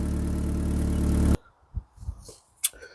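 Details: Cosworth YB turbo engine in a Mk1 Ford Escort, repaired after an under-bonnet fuel leak, cold with oil pressure but no boost: steady even idle at 1,000 rpm with no misses or knocks, then a clean shutdown; no leaks.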